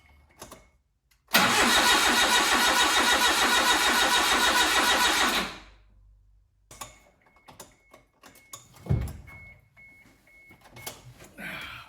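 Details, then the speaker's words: Suzuki Carry engine after restoration, fuel line empty: starter cranks steadily about three and a half turns a second for four seconds without catching, no fuel pump purge heard; possibly a fuel pump harness connector not fully clipped; crank no start, no fuel delivery. "if it's not getting any fuel I should hear the fuel pump Purge I don't hear that so maybe I've missed a connector somewhere"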